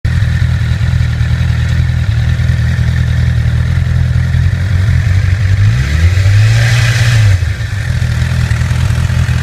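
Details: 2008 Honda CBR1000RR, about 29,400 miles, idling and revving with a light metallic rattle over the engine drone; suspected faulty cam chain tensioner, and replacing the CCT later made the noise go away.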